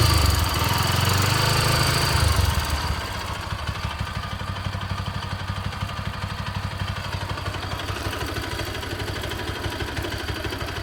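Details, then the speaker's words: Bajaj Pulsar AS 200 (NS 200 engine), 6.5 years and 30,000 km, with engine noise that has been worsening: revs drop to idle with a rapid, harsh mechanical clatter over the exhaust. It also stalled while riding, was hard to restart, seems hotter and lags; the cause is undetermined. "तो पिछले कुछ टाइम से मुझे इसके इंजन की आवाज़ में कुछ बदलाव सा लगा और तब से इसकी जो इंजन नॉइज़ है वो लगातार बढ़ ही रही है। करेंटली इसका इंजन कैसा साउंड करता है आप सब भी सुनिए।"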